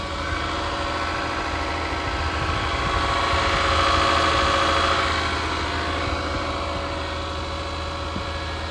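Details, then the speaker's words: 2024 Mazda CX-90 inline-six at about minus 20 in Edmonton, cold start with hood open, engine cover on; idle held slightly high, smooth even hum, no knocks or misses; driver thinks it revs up to warm; normal cold-start fast idle. "It is quite cold, so it's probably revving up a little bit to warm up."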